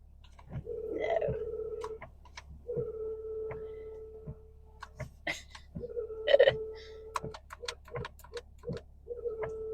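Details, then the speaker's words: Windshield washer: short bursts of a steady mid-pitched electric hum with clicks between; pump works and fluid is full but spray only spits; owner suspects clogged nozzles, not confirmed. "Sammy's like, what's that noise? It's the windshield wiper. The pump obviously works. And it's spitting. And I checked the levels and it was full."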